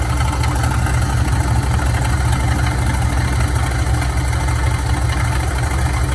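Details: Older Dodge truck idling in park, heavy low rumble with rough irregular churning from the belt drive, stops when shut off. Owner suspected an accessory pulley, alternator or tensioner; suggests a failing idler pulley bearing.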